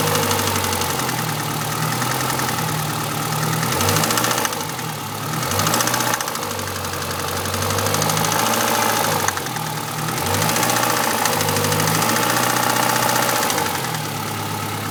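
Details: Renault Clio RS engine idling with a fairly regular tapping about three to four times a second over the running note; abnormal engine noise, cause unknown.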